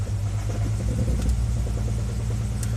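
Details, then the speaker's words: 2000 Jeep Grand Cherokee Laredo with misfire code on number 2 cylinder, hard to start, idling in gear: deep rumble with uneven stumbling beat. "let's short a number to misfire code on number 2 cylinder"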